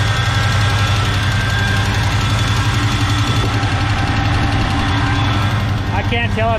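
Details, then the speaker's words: 1970 Chevy K10 with a 396 big block from a 1971 Chevelle, first start after sitting, with bad gas in the lines and good oil pressure: lumpy big-cam idle with a light quick tick; suspected exhaust leak or lifter. "ticking noise is an exhaust leak or about liquor capping"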